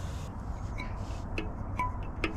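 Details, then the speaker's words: Estarli e20.7 folding e-bike wheel after a broken spoke was replaced without removing the wheel or tyre. Three short, clear, high metallic pings over a low hum; the new spoke rings tight and properly tensioned. "You can hear the difference. That's tight. That's not different tune. That seems to have done the trick."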